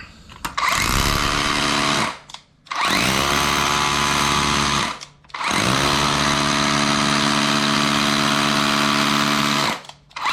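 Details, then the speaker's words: DeWalt 54V brushless hammer drill after hammer rebuild, drilling concrete: three strong bursts of dense, even buzzing hammering under load; hammer now very strong and healthy. "It was a surprise. It's actually very strong now."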